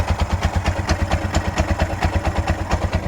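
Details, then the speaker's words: Freshly fitted Bajaj auto rickshaw 205cc engine: lumpy idle with sharp puffing chuffs about twice a second and light tapping clatter; tappets are loose and the cracked silencer is not yet welded, and the owner suspects the fan cover is touching. "Start ಆಗಿದೆ, ಇದು ಏನೋ ಸ್ವಲ್ಪ different ಆಗಿದೆ. ಟಾಪೆಟ್ ಎಲ್ಲ loose ಆಗಿದೆ, plus silencer ಹಾಕಿದೆ."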